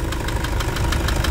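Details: Toyota Hilux 2.5 diesel at idle after an accessory belt drive repair for a scraping and alternator-bearing noise: steady diesel clatter with an even tick and no squeal or scraping; the belt drive sounds healthy.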